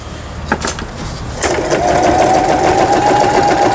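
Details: Toyota Simple10 home sewing machine stitching smoothly after repair, with a steady whirring hum and quick, even needle ticking.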